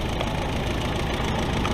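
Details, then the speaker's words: 1964 Willys CJ5 Jeep, F-134 four-cylinder, after replacing the bad externally regulated alternator with a remanufactured Delco 10si 3-wire GM alternator: fires right off, steady even idle, no stumble or knock; battery shows 13.5 volts, charging normally. "all right as you can hear it's running fired right off nothing's on fire here making smoke my battery's showing oh 13 and a half volts that's pretty good"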